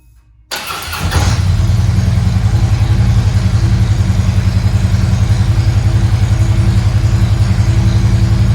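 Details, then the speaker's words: Harley-Davidson Tri Glide trike after frame swap, first start with newly installed Thundermax EFI module on base map, initialized; silence, short crank, catches into deep even loping idle that holds steady, then warming up; normal start and warm-up idle. "Well, we've got our base map put in our Thundermax EFI module and we've initialized it. Now let's fire it up."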